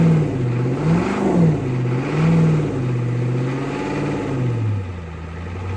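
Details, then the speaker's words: 1988 Ford F350 7.3 IDI diesel, revived after sitting since the 1990s, with a new fuel filter and fresh diesel fed from a jug by pump, started after glow plugs: surges up and down, then settles into a steady idle clatter. Runs normally. "She runs. Let me see if she'll take gear."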